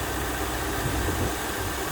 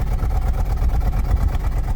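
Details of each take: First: 2001 Lexus LS430 3UZ V8 at idle: smooth, steady low rumble with no stumbles or ticking, about 20 inHg (-70 kPa) vacuum. Normal healthy idle. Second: 2004 Toyota Celsior 3UZ V8, cold, heard at the exhaust out the back: deep idle with uneven, lumpy pulses. Rough idle that smooths out when revved to around 2000–3000 rpm; cause not yet found.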